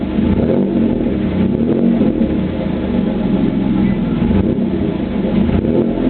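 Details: 3.8 V6 Camaro idling and revving with an uneven exhaust beat that breaks up several times; misfiring cylinder from a bad spark plug.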